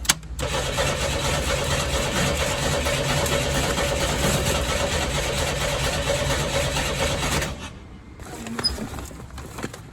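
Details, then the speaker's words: 1986 Chevy S10 Blazer 4-cylinder, 4-speed, 2WD: fuel pump audible and no leaks, but starter churns about seven seconds with no catch; cranks, no start, one gallon of fuel suspected not to be enough. "That's weird. I can hear the fuel pump going. It's got a gallon. I wonder if a gallon is simply not enough."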